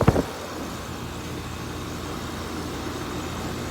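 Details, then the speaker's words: Heat pump outdoor condenser with O and Y jumpered because of a faulty thermostat wire: a short whoosh as the reversing valve shifts, then a steady, even running hum; the valve works normally. "You heard that noise? It means the reversing valve works. Now it's running in heating, air conditioning mode."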